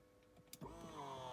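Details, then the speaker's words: Ferrari F355 Spider electric-hydraulic convertible roof closing: sharp click, then a steady pump whine that climbs and settles as the secondary hydraulic rams push the last part of the frame shut. Working normally. "close you see they push into place and they close it and then you simply just latch down the plastic"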